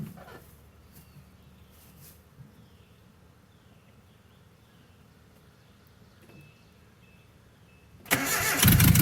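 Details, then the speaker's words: Abandoned 1984 Nissan/Datsun 720, Z24 four-cylinder, first start after about 20 years sitting: long quiet stretch of faint cranking, then the engine suddenly catches and roars on poured-in priming fuel; spark confirmed. "Hey! Definitely got fire. Let's just slug a little more gas down it."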